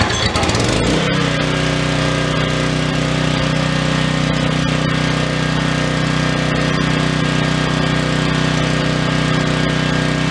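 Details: Troy-Bilt generator stored unused for over 10 years, restarted a second time after first run: brief pull-start catch, then steady even drone at constant governed speed, no misses; healthy running.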